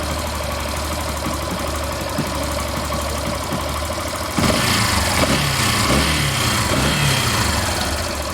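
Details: Yamaha Factor 150 single-cylinder motorcycle idling steadily after reassembly, even putter with no rattle or knock; the earlier scary engine noise is gone after the repair.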